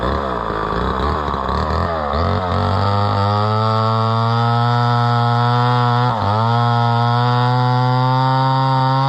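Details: Homelite Super XL chainsaw bought at auction, probably at least 50 years old, unknown when it last ran, started at about half choke; climbs to a steady high buzz, easing slightly under cutting load with a slightly dull chain; runs clean.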